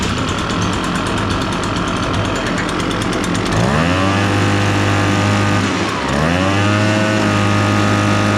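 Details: Echo PB-580T two-stroke backpack blower after repair (came in running rough, wouldn't rev): revs high, drops to a steady idle, then picks up cleanly again with crisp throttle response; normal running.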